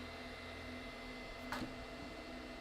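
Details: Elegoo Neptune 4 Plus 3D printer, new out of box, no bed sensors: quiet hum then brief rough stepper grind as the axis homes; suspected fixed by firmware update, not confirmed.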